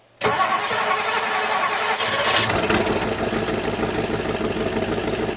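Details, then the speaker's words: 1958 Mercury Montclair Turnpike Cruiser V8, first start after sitting a year, primed with fuel: short crank catches straight away and settles into steady, even roar; normal start, oil pressure and charging confirmed. "I'd say that's pretty good for sitting for a year I got oil pressure and we are charging"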